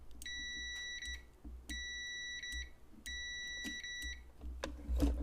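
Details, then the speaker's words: Copal 229 flip clock alarm switch, normally open contact tested from common: steady high continuity beeps only while pressed, so the switch closes cleanly and works correctly. "this switch is working correctly."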